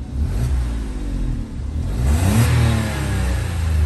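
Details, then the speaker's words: Citroen C1 after long standstill, just started: low smooth engine note rising and falling with throttle blips; earlier ticking from no oil at top of head gone once oil circulated; engine quiet and healthy. "nice and quiet now there was a bit of a ticking noise but that was just because there was no oil on the top of the head so now that the oil has circulated and gone to the top of the head she's quieted up"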